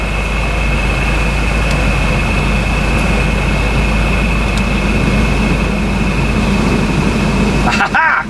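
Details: 1994 Volvo 940 Turbo wagon after a blower motor resistor replacement: a smooth, even rush of air with a faint steady high whine and no rattle or scraping; the blower runs cleanly across its speed settings.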